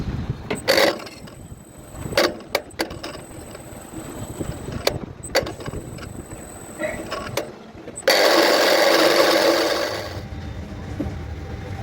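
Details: Anupam Alpha A794 tower crane trolley motor brake: irregular sharp clacks then loud rough buzz during brake operation, caused by loose coil wire (terminal 6 to 4) pulling out and giving improper voltage; tightening connection fixed the sound.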